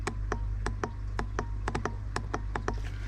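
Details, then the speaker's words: Range Rover L405 with rough running; removed secondary turbo shut-off valve solenoid powered off a 9 V battery gives about a dozen crisp clicks in three seconds over a low hum: normal solenoid operation. "So it sounds as if it's working."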